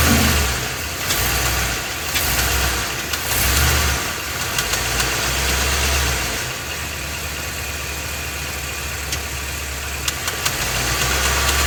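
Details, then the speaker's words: Ford F250 7.3 L Godzilla gasoline V8, phone under truck, idling then pulling against brake in gear, A/C off: dull irregular knock on rumble; dealer said drive it, noise persisted, engine being replaced. "you can distinctly hear that it's making a noise and it is making a knocking noise too"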